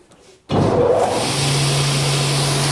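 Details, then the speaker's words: Circular saw blade with fine expansion slots and anti-vibration, anti-noise grooves, cutting across the grain: motor spins up to a low steady hum without shrill whistle; quiet blade running without whistle. "vous voyez il y a aucun sifflement donc je suis en travers du fil"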